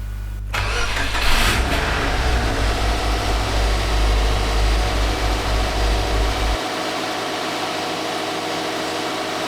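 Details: Subaru with 6-speed manual swap (pull-type twin-plate clutch, R180 rear diff), first start after swap and oil change: short starter whirr, engine catches quickly and settles into a smooth, even idle, no knocks or misses; normal start and idle.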